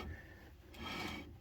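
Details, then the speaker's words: 1989 Dodge Dakota drum brake after installing new shoes and wheel cylinders, drum turned by hand: soft even scraping rub of light shoe contact with slight resistance; properly adjusted, not binding. "but you can hear and kind of feel it on your hands there's a little bit of resistance but nothing too crazy"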